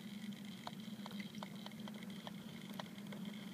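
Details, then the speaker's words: V2 model steam engine boiler over an out-of-control flame: soft, irregular crackling patter over a faint hiss as the water starts to boil, described as cavitating, nucleate boiling. "You can It's cavitating. It's one set of nuclear boiling B, right?"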